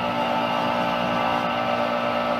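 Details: Boiler/chiller loop refilled after pump seal replacement: steady airy hiss with a faint tonal ring from the bleeder at a high point, purging trapped air; normal bleeder valve hissing.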